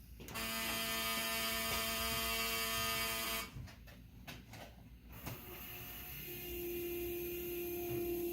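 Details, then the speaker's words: 1974 Alfa Romeo Spider Veloce, 10K original miles, stored 30 years: after connecting the battery, a steady high electric whine holds about three seconds, stops, returns lower; normal fuel pump priming. "Now, of course, nothing is going to happen without putting the battery. Let's get some fuel pressure."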